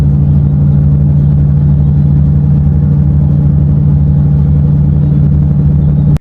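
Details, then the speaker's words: Ford Focus ST225 while driving: constant low drone worsening over ten months; not wheel or tyre; drive shaft failure named, worn front wheel bearing suspected, not confirmed. "But I've had this really annoying noise. I'm going to play the video in the background right now, so turn the volume up. But listen to this, okay?"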